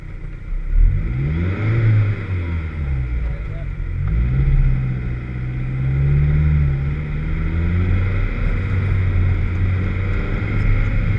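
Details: Vauxhall VX220 at 3 Sisters Circuit: engine note climbs and falls through the revs with a ragged, stumbling edge under throttle. Engine misfire under load.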